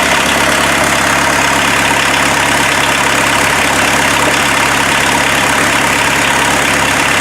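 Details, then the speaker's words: Mazda B1800 / Ford Courier pickup with VW diesel swap, started after about five months sitting, no hood, no exhaust fitted yet: loud, raw diesel clatter at steady idle, even beat without stumbling; normal idle. "but I'm really surprised and how well this thing started up and drove on the trailer"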